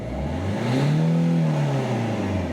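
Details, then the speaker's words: Mini Cooper 1.6 HDi diesel, DPF removed and differential pressure sensor welded shut, after ECU reflash with EGR and DPF switched off: revs up smoothly and freely, pitch rising and falling cleanly with no stumble; fault 41-84 limp mode cleared, no errors. "все працює помилок немає"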